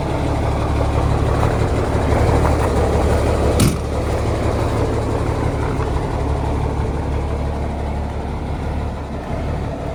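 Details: Heavy diesel truck warming up outside in the snow. A deep, even rumble pulsing at about three beats a second, with a steady idle and no knocks; a healthy warm-up idle.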